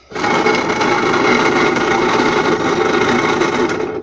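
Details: Puch E50 moped two-stroke (Dart/Mini Maxi), formerly seized, compression just under 150; the throttle cable slips inside its sheath, badly adjusted. A buzzy, steady single speed that never picks up; no throttle response.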